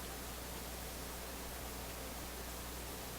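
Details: AF-610 Japanese AM/FM tube radio at full power on FM, after swapping the two 17EW8 tubes, which made no difference. Only a steady even hiss, no station; reception weak, cause not yet found.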